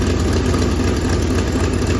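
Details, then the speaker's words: 1965 Mustang V8 after starter install: steady idle with a sharp, rapid puffing tick in time with firing; passenger-side manifold exhaust leak from a damaged stud and nut. "well it sounds a little better but that passenger side still sounds like it's got weak still got a leak over here on the passenger side"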